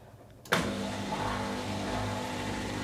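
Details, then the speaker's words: Dishwasher opened for repair, at cycle start before filling: a motor switches on abruptly and settles into a smooth, steady low hum. The drain (sump) pump is emptying the sump normally. "that's that sump pump running to drain"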